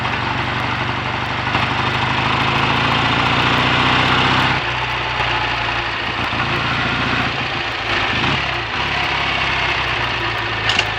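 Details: BSA A65 Thunderbolt twin with Boyer ignition, new plugs and resistor caps, plug gaps closed slightly to cure a misfire under load: even twin beat around four a second, settling to a softer, lower idle, no missed beats; healthy idle.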